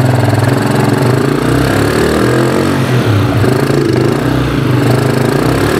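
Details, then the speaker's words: Keeway 150cc single-cylinder motorcycle of unknown year, previously flooding on acceleration, after a cheap partial repair: runs fairly steadily but with a few uneven stumbles and dips in the beat; an intermittent misfire remains, cause unconfirmed. "ya por lo menos ya puedo utilizar esta moto no está perfecta porque como la escuchan tiene todavía problemas"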